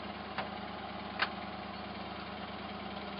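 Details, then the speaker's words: Hot-rodded V8 Jeep J7 rock crawler, at normal operating temperature: low, even idle with a steady beat and a couple of faint ticks, running on all eight; sounds like a stock motor, and the carburetor secondaries need tightening. "definitely running on all eight holy crap does a gas cage work no gas cage can't work i i can't be that lucky i won't be that lucky it's up to normal operating temperature does it move"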